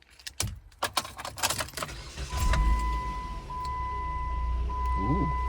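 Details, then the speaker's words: 2014 Jeep Compass after replacing the faulty heater actuator that had been knocking: keys rattle, a chime sounds, then the blower runs up smooth and steady with no knocking or clicking from the heater box. "turning on the fan. Oh my gosh, it's silent. That's amazing."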